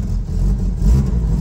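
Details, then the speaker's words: K20-swapped car after new headers fixed a massive front exhaust leak, revved: deep, even rev with only low rumble and no ticking or puffing from the front; exhaust sounds sealed and quiet. "oh yeah it's nice and quiet now"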